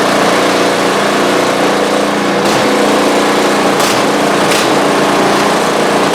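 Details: Newly assembled new snow blower with fresh oil and gas, run to check the augers engage: steady, even small-engine drone with a high buzzy tone, no knocks or misses; runs smoothly and healthy.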